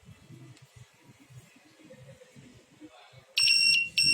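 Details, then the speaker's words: Analog multitester after re-soldering a faulty joint: quiet handling, then a steady high-pitched continuity buzz that breaks briefly and resumes; buzzer now works properly. "ya udah bisa, jadi cuma perlu solder ulang aja, udah bisa nih."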